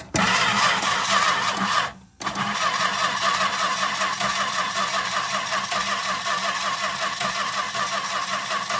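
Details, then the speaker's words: 1964 Chrysler Newport, sitting 2.5 years, after ignition cleanup and a broken distributor cap: long steady cranking with a pause and no firing despite spark, fuel and a working accelerator pump, adjusting choke and throttle. Cranks but won't start. "Sitting here playing with the choke and throttle, trying to find what it likes, but I haven't even heard a cough or anything yet."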